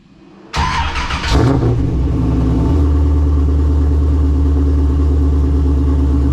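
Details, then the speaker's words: Nissan 350Z after fitting a new exhaust, mounted solid with no noises: engine catches, blips once, then settles into a deep, steady idle with no rattles or buzzes; a clean, healthy exhaust note. "all right so the exhaust sounds really good"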